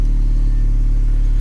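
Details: Car with a dead battery, after a jump start from a NOCO Boost XL GB50 pack that was then switched off: smooth, even low rumble, steady beat, no knocks or misses; idling normally on its own battery.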